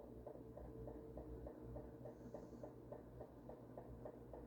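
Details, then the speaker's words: Ventisol Fenix three-blade ceiling fan, newly installed, running on exhaust mode: light even ticking three or four times a second over the fan hum as the plastic lamp dome knocks against the fan; fix is raising the dome. "ali é a cúpula que tá batendo ali do lado, tá? Então vou ter que eh levantar um pouco mais a cúpula, aquele plastiquinho, tá? Porque senão esse barulhinho vai me incomodar."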